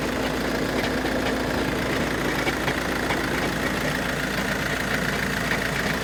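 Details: Cold-start idle of a 2013 VW Jetta TDI diesel, hood open, with a loose uneven rattle once or twice a second; owner suspects the dual-mass flywheel, though car shifts and accelerates smoothly; unconfirmed.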